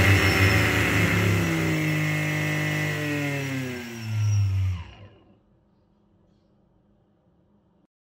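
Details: BLDC motor driven by ESC under STM32 PWM speed control after ESC calibration; clean motor whine sliding down in pitch as throttle comes back, then spinning to a stop; smooth, healthy normal running.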